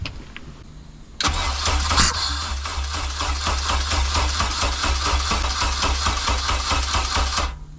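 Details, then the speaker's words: K24A2-swapped 1987 Acura Integra after new MAP and intake air temperature sensors, and 12 V added to the second cam position sensor: cranks briefly, catches and settles into a steady, busy, raspy open-exhaust idle; finally starts and runs. "So, it finally runs."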